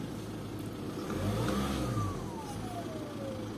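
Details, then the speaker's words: VW Passat 2.0 TDI BKP 140hp diesel after turbo removal and geometry cleaning, which didn't fix it; revving after a short drive: faint whistle climbs with revs then slides down as they fall, possibly still a little turbo whine, new turbo needed. "yes still a little bit yeah maybe a little bit I'm not sure yeah it's only 12. now it's a good time to look for a new one"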